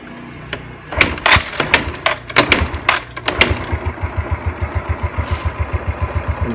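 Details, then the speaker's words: Motorcycle with vacuum-type carburettor, owner complains of hesitation: idle slow, even low thumps about four a second, steady but idle speed too low. "langsam cukup bagus tapi terlalu rendah ya"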